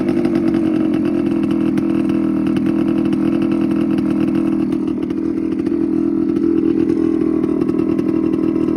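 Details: TC125 two-stroke dirt bike after a carb clean, a new fuel line with filter, and a switched spark plug: a crisp buzz holds steady, dips slightly midway and picks back up, revving and idling evenly. Normal running.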